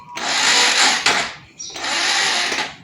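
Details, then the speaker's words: Motorcycle, kickstarter removed, in neutral, starter run from a 12-volt motorcycle battery that had been powering an inverter: two short whirring starter bursts fade without the engine catching, battery drained too weak to turn it over. "Nggak bisa ya teman-teman, ini ngedrop."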